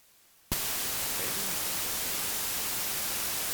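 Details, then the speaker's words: AC-2EX intercom connected through a 9er Systems USB interface to headphones: sudden loud steady hiss at connection, no tone or hum, a high noise floor on the audio line; persists with the microphone unplugged, cause unknown. "But you can definitely see that this noise floor is certainly pretty high as soon as you plug it into anything."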